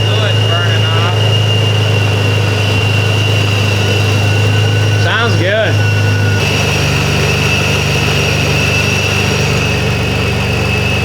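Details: Supercharged Nissan 370Z Nismo (VQ engine) first start after air-to-air conversion, timing and gallery gasket refresh: smooth even idle with steady low drone, no knocks or misses, running rich at about 40 psi fuel pressure; normal idle.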